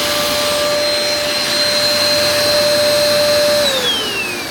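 A steady high whine holds at a constant pitch, then slides down smoothly as it switches off: it runs normally.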